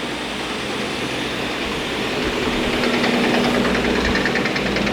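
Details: Diehl SL-52 straight line rip saw, 15 hp main motor, 2 hp feed, chain feed set at 165 ft/min: steady mechanical hum with light even chain-feed clatter, no grinding or knocking; running normally.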